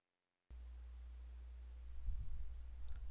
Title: How To Remove Static Buzzing Noise From Your Microphone